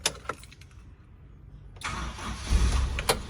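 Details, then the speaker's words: 2003 Toyota Kijang LSX 1.8 L (1800 cc) petrol, 5-speed, started from inside the cabin: quiet cabin, short crank, engine catches cleanly into a steady low idle rumble; healthy start, engine still good. "jereng teman-teman, mesinnya masih bagus."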